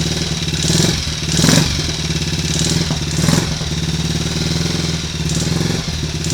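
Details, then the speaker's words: Triumph Tiger Cub single after engine rebuild (new old stock conrod), first start, alternator and primary cover off, warming up: fast idle thumping, blips swell and fall back lazily; ignition timing a little retarded, to be strobed and set. "Definitely a little retarded there on the ignition timing, but close enough to get it to start, so that'll do for me."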